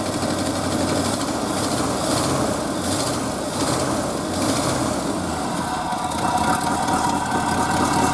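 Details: Early-1970s Ford F-350 that sat about 7 years, idling on old gas with good oil pressure. Rough idle with a raspy puffing hiss on the exhaust note: an exhaust leak, seen leaking around the donut gasket; likely needs a tune-up.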